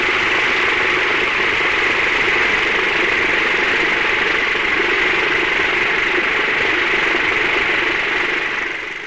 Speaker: the relationship between the head and flow rate of a pump with a channel impeller has been changed in operation until the cavitation has started